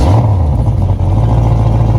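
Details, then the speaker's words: 2008 Malibu VLX boat after swapping its oil-burning Monsoon 340 for a small-block Chevy 383 stroker with the same cam and heads: deep, steady V8 rumble with an even beat and no knocks or misses; healthy running. "Yeah, sounds good to me. Sounds good, dude. I like it."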